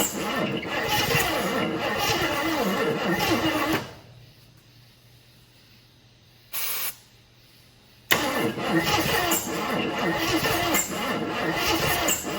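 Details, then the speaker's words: 1980 Jeep Wagoneer with valve covers just refitted, ran moments earlier but now won't restart; starter churns the engine over in two long bursts with no catch: cranks but no start. "I fired it up just before I was going to record it firing up to make sure that it fired up, and it did, and now it doesn't."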